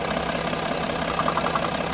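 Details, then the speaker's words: Range Rover Sport diesel at idle, ticking complaint after being told it needed a new turbo and possibly engine: light quick tapping flutter from the EGR vacuum solenoid, which stops when held or its vacuum line disconnected. "The fluttery noise? That one over here. It's the EGR. The vacuum solenoid on the EGR."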